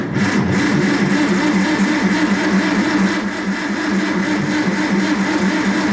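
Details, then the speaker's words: Farmall Super M cranked with the clutch in, out of gear and key on. It turns over with a steady, even rhythm that never catches. Cranks but won't start; the owner says the battery is dead too, and the cause is not confirmed. "Well, we aren't getting any luck on anything here, are we? Well, that battery is dead, too."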